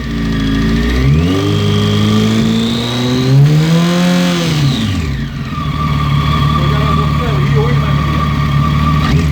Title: Zx14 piston slap?